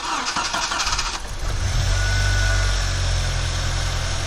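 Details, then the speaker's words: Old Jeep engine start after replacing a tensioner pulley with a worn, humming bearing: brief cranking, then a smooth, even idle; the earlier regular noise is gone; normal engine start. "然之前那个规律的异响现在已经完全消失，所以要找到发动机异响问题的根源，才能更好的解决问题。"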